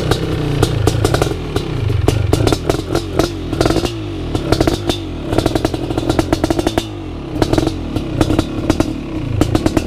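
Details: First startup of a BRC 500 engine kit in a 2015 Husqvarna TE 250 with SmartCarb 40mm billet carb, TPS and PowerCDI ignition. Off the kickstart with decompression release, the big single barks into life, then revs up and drops back cleanly with even firing and no knocks.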